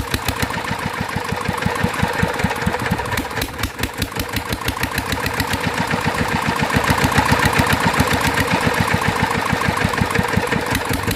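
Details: Roughly 40-year-old Mitsubishi NM85 single-cylinder diesel test-run after rebuild: fast chugging with slightly uneven sharp beats; oil weeping at the injector seat, compression likely leaking slightly, injector suspected faulty, fan bearing also noisy.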